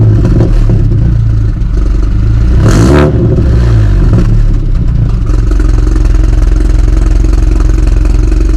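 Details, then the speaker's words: 2018 BMW 430i Gran Coupe F36 B48 four-cylinder with modified exhaust, cold start; raised idle with a deep, slightly tractor-like burble and one brief blip, running smooth and healthy. "so yeah man that's what she sounds like in a cold start um it's not crazy but she sounds good bro like for real for four banger she sounds good she got that little tractor sound"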